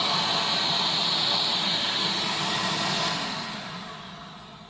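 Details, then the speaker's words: Dustram PulseRam self-cleaning tile/flooring removal vacuum compared against Pulse-Bac 1000/Pro 311, running with its twist-lock filter removed: loud, steady rushing air with a high whine, easing off at the end. It runs normally with strong airflow. "so it's very easy to put on and off right there this is what it sounds like when the filters off of it"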